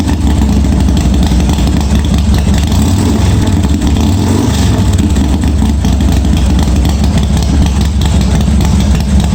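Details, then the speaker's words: 1986 Harley-Davidson Softail first start after wiring repair, gas added: deep steady low V-twin rumble with an even beat and no knocks or misses; running cleanly, oil pressure not checked. "what so kill button works well looks like it started so i didn't check the oil pressure or anything"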